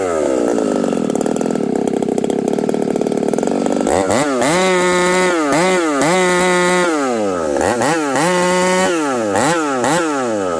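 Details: Ported Husqvarna 371 XP chainsaw with new coil, carb just set about three-quarter turn after running too rich: full-throttle scream sagging and surging while cutting, breaking up under load; carburetor issue suspected, not confirmed.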